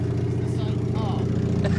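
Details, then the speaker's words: Mercedes W123 diesel, first start after sitting at a pub: very loud, blatty idle with a harsh drone from an exhaust leak at the damaged downpipe. "Oh, what a beauty. That is loud, though. That's terrible."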